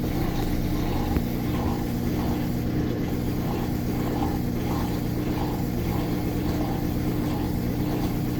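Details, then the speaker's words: Washing machine final spin after the jammed drain pump was replaced: a steady low drone with a soft, even thump each turn and no grinding, shaking the camera; sounds like a washing machine again, with clothes left very dry; normal spin. "yeah that sounds like a washing machine again holy crap it's shaking the camera"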